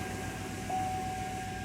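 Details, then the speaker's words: 2007 Chevy Tahoe after fixing crank-no-start (P0300 misfire) by cleaning engine-block ground behind cam sensor and installing new connector: engine catches and settles straight into a quiet, even idle with faint hum and no stumble; problem fixed. "okay wow okay start it right up"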